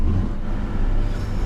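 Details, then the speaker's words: Car jump-started from a weak battery idles deep, lumpy and too low, slightly uneven; smells very fuely; engine down on compression and needs a rebuild, low on power from engine damage. "This engine's basically down on compression, so it needs a rebuild. But is it gonna idle? It smells so fuely. That's too low, but it's idling."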